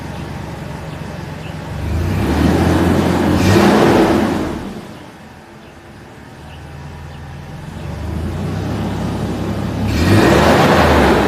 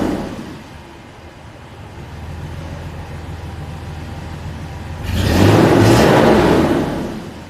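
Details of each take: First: Mercedes W163 after fixing a misfire on two cylinders: engine revs up twice and drops back smoothly, firing evenly with no stumble or miss; healthy, normal running. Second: W163 Misfire on 2 cylinders.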